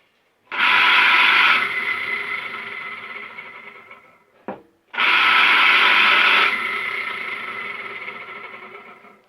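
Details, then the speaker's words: Drainage pump that hummed but would not pump, tested after cleaning and insulating the wiring connection. Two runs, each a sharp rise then steady whirring slowly fading; motor starts and spins freely, all fine. Normal running after repair. "все отлично осталось за герметизировать соединение и собрать все на место"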